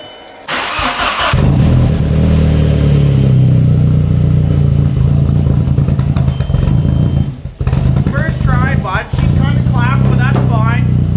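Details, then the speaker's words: Audi started after sitting three or four weeks; loud, uneven, lumpy idle with low throb, running rough; owner suspects a blown turbo, not confirmed. "yeah if you can't hear hell [ __ ] this thing running right now it's it's pretty [ __ ] shitty but we're gonna get her all fixed up"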